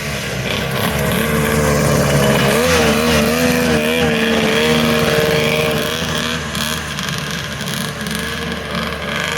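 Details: Polaris triple-cylinder two-stroke modified snowmobile ("Wet Basement") after full rebuild, skid just reinstalled: crisp, even revving, pitch rising and falling smoothly with throttle, no misfire or knock; normal running, healthy.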